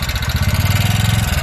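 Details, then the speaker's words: 2019 TVS Ntorq scooter at idle, also burning oil quickly: hard rapid clattering about twenty times a second; worn piston rings and slack timing chain, to be fixed with piston and ring fitting and timing chain work. "ये देखिए इसमें ये एक साउंड की प्रॉब्लम आ रही है, ये साउंड आवाज़ आ रही"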